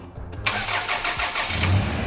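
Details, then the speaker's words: Small engine (about 4.5-5 quart capacity) grossly overfilled to roughly 15 quarts, just started: oil shoots out, and it settles into an uneven, lumpy idle with a wavering beat as the crankshaft strikes the oil; oil pressure still about 25 PSI. "Oh, it's running rough. Yeah, you don't ever want to see an engine do that. So for sure right now, the crankshaft is striking the engine oil."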